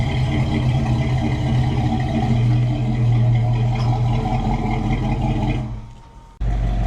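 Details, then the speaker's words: Chevrolet K10 truck, freshly tuned and dialed in, project with lift kit: deep steady engine rumble with firm even beat, pulling cleanly then cutting off; runs healthy, normal. "personally I think it sounds good we got it tuned in got all dialed up I think it's good"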